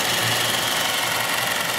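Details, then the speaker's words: Chrysler 300 AC compressor jumpered on at idle: harsh rattly knocking clatter with hissy wash; compressor engages and runs, pressures drop (high side from about 90 psi toward 200, low side to about 45) but sounds terrible. "hey the fans kick on my pressures are dropping man that compressor sounds terrible"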